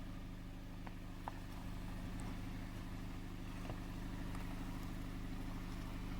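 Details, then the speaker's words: Jeep Compass Latitude (non-Trail Rated) climbing an off-camber hill in 4WD lock, mud mode, first gear. Low steady engine drone with uneven pulsing as traction control brakes slipping wheels; working normally. "Well, apparently I was wrong. I guess the auto mud mode does make a difference. You can hear the traction control sorting it out, and I could have easily continued up that hill"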